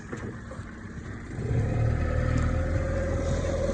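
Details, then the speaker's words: Small dinghy outboard after repair, carb gasket fixed, one-pull start: settles into a steady, even low putter with constant pitch and no misses; normal idle. "Sounds perfect. Like, listen to it idle."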